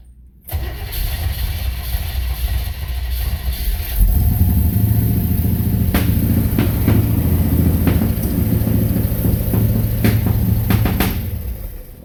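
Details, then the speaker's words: 1964 Impala, first start on new Edelbrock 600 cfm 1406 carburetor replacing the original Rochester 4G via adapter, started with spray: cranks, catches, then flares to a loud, fast, unsettled idle that stays high; timing at 28°. "Well, the thing was I did notice it was just idling high as hell."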